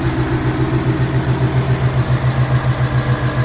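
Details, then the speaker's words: 2018 Ford Mustang GT Coyote V8 with custom cold air intake, idling smoothly with a deep even pulse and no tapping or knocking; IMRC clapping can be mistaken for knock, stopped by disconnecting its connector; normal idle. "that's just the way it functions because the bar runs great but that sounds like a ticking in itself and can be kind of mistaken for some knocks"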